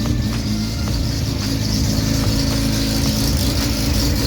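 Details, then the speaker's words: Mazda RX7 SCCA E-Production race car with rebuilt Weber carburetor, rewired direct-fire ignition and external oiling, first start after rebuild: even, brappy rotary idle, steady pulse, no knocks or rattles, lacking the usual rap, likely due to direct fire; normal idle. "so she's running it's living doesn't have that rap sound like right here"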